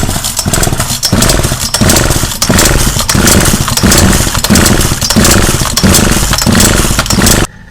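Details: Partner P340S two-stroke chainsaw, carburettor screws turned by owner, muffler and cylinder flooded with petrol: surges and sags about every two-thirds of a second, never holding steady revs; carburettor out of adjustment.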